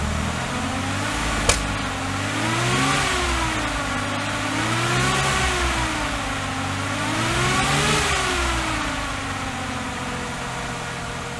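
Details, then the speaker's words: Austin Healey 3000 on SU carburetors, test fire after carb rework: revs rise and fall unevenly with a sharp pop early; still popping and banging, plugs checked next. "she's still popping and banging and not happy"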